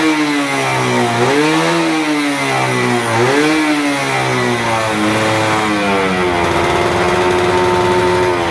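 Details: F1ZR 110 two-stroke, stock engine and ignition, after fitting a new carburetor (old one damaged, cylinder head still old): crisp blips rising and falling cleanly, settling to steady idle without bogging; healthy revving.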